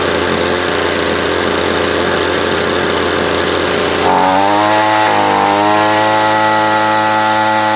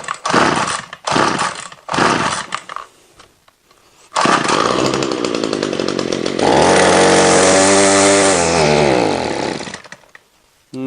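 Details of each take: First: Ryobi line trimmer after repair of a no-rev fault, suspected to be a wrong fuel mix that had thrown smoke and oil out of the exhaust: rough buzzy start, then a clean, smooth, steady high rev. Normal revving; it idles slightly high. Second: Ryobi two-stroke line trimmer that won't rev, heavy smoke from the exhaust: a few sputtering starts, then a rough wavering buzz that won't climb cleanly; too much oil in the fuel mix.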